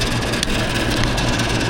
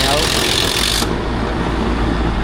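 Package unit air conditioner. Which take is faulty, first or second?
first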